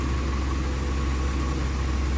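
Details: Mitsubishi Canter 4M50 diesel after a hard-starting fix with jumper wiring to the starter: a steady, even low drone with no misses or knocks, idling normally.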